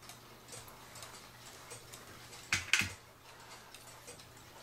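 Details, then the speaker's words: Cuckoo clock after cleaning and oiling, once the wire behind the pendulum was bent to level the movement: an even, steady tick-tock with a couple of handling clicks. The clock is now in beat. "It has the nice even tick-tock sound to it."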